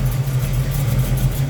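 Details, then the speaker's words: 1972 Chevrolet Camaro SS, rebuilt 350 V8 with Turbo 350 automatic, idling: deep, even rumble with no misses, knocks or ticks, a slight hum; healthy idle. "all right so you can see the oil filtration system I got it all in the whole way so you can hear this thing idle oh there's a little ham in there again three-fifty has been rebuilt"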